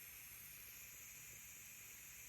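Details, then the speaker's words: First-time use of a new electric pressure canner with pint jars, warming up: steady high-pitched steam hiss with faint spitting of water, no knock or rattle; normal steam venting. "Now the steam is coming. See that? And it will actually get to be really steady stream, but if you can see down in there, it's kind of spurting a little bit of water too."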